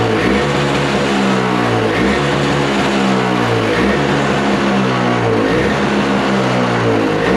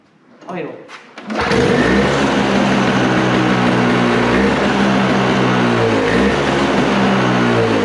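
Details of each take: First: Toro snowblower with Briggs & Stratton R-Tek engine, non-running, refurbished, just started on freshly mixed fuel; buzzy note rises and falls with throttle, no sputter or misfire, owner thinks the idle adjustment isn't set right. Normal running. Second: Toro snowblower with R-Tek Briggs & Stratton engine, just after the carburetor was refitted: catches and settles into a loud, busy run with a slightly wavering beat. The owner suspects something isn't set right, giving incorrect idle speed.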